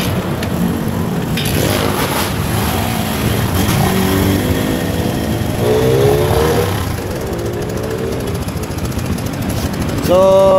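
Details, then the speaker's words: Barako 175 single-cylinder motorcycle, customer complains of noise, at idle: light uneven metallic rattle of about three to four taps a second with misfire-like stumbling over the idle; mechanic attributes it to the timing chain tensioner, to be reset. "Pero itong ingay nito mga idol ay tensioner lang to mga idol. I-reset natin mga idol."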